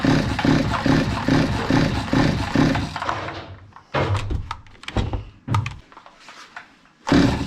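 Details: Zomax 5020 two-stroke chainsaw, carburetor cleaned but still stalling; buzzes with a steady pulsing beat for three seconds, then dies, coughs in scattered bursts and refires, before mixture screw adjustment.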